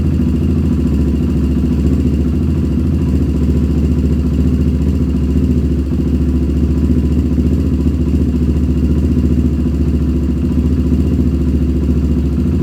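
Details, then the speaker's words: 1997 Honda TRX300EX single-cylinder, cold idle after cam chain replacement, not run in a while: even thump about three and a half beats per second, steady, no knock; a little grumpy but running really good. "okay guys hey it's actually running really good um it hasn't ran in a while so it's a little grumpy and it's also still cold"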